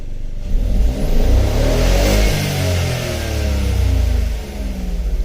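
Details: 2016 Ford Focus 1.0 EcoBoost, turbo and wet timing belt recently replaced; revs climb and fall unevenly with a stumbling, ragged note under hard acceleration while fuel pressure reads steady; hesitation, cause not yet found.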